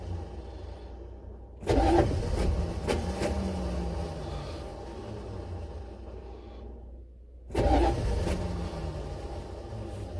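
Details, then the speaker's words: Buick Electra 5.7 diesel, cold start after a year sitting with an unrepaired blown head gasket, jump box, lots of ether, fuel system likely unprimed: two long cranking bursts that die without catching; cranks, no start, owner suspects the starter. "ah hey well i'm not having a whole lot of luck here hopefully it'll catch"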